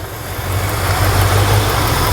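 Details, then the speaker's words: 1968 Ford F100, 360ci V8, 4-speed, idling: lumpy idle with a faint crackling snap over the low rumble. The spark is jumping from inside the boot, so that cylinder is missing; a cracked spark plug insulator or a loose boot is suspected. "It's jumping from inside the boot there to the, so it's missing, right? Or I don't know if that's not on good enough or what's going on there. So, but I can hear it from here. It's like a spark sound, I guess."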